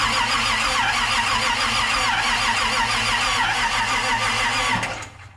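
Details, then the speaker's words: 1951 Chevy truck: steady starter churn at about three turns a second with no firing while the fuel pump primes after fuel went down the carburetor; cranking without starting. "Holy crap, it sucked the fuel out of there. It's pulling a prime. It's priming."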